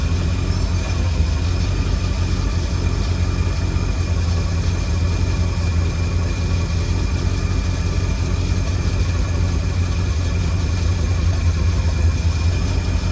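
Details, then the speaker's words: 1952 Cadillac Series 62 barn find V8 that sat for decades, idling after a battery charge: an even low idle with a constant high whir over it, a dry generator bearing whir. "There's just that whirring. If it weren't for that whirring sound, it'd be it would sound beautiful."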